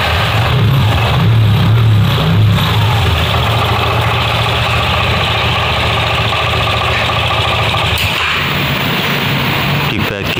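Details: Vespa Sprint 3V that would not start on the starter with a dead fuel pump, after tracing the fault to the side stand wiring: the engine catches and settles into a steady, even low idle without dying.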